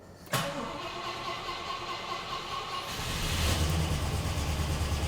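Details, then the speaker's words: 1972 Rover P6 V8 winter warm-up start in storage unit, on choke with fuel pump on and low stabilised fuel: starter cranks briefly, engine catches and settles to a steady even low rumble with good oil pressure; healthy cold start. "and oil pressure as well this engine does have really good oil pressure firing up nicely"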